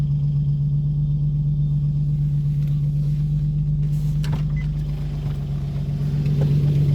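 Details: 2007 Infiniti G35x 3.5 engine, about 166,000 miles, driven about once a month, noise started recently, at idle: light regular tick-knock about four times a second, source not found; owner suspects timing chain tensioner.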